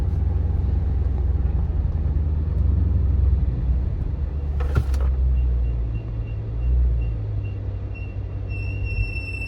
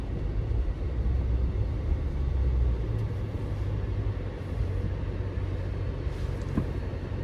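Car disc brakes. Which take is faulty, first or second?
first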